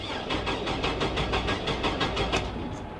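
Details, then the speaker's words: 1999 GMC Sierra, 175,000 miles, cranked at auction with fuel pump heard: starter cranks about three beats a second with an uneven, lumpy rhythm and never catches; sounds like uneven compression, cause not confirmed. "Nope, there's something wrong with this one. That's a shame. It does not sound very good, does it? Definitely sounds like it's a little uneven on the compression there."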